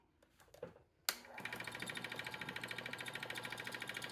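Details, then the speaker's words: 10x18 wood lathe turning a just-under 7 by 4 inch blank on a faceplate after remounting and tightening everything: motor spins up to a steady hum with a light rhythmic pulse from the still-uneven blank; some wobble but far better; normal running. "wow amazing still got some wobble but that's what I expected cuz it's still not even but wow what a difference"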